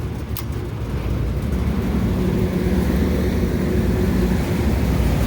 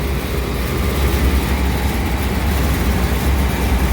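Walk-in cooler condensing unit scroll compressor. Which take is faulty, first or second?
second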